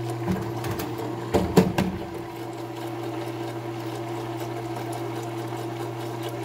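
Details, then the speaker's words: Condensate pump running before being cleaned. A few rattly knocks are followed by a steady motor hum as it pumps slowly and then shuts off. The owner suspects the float is sticking, but this is only a guess. "It's pumping, but it's kind of slow. I think we're gonna clean this pump out. Almost sounds like the folks sticking."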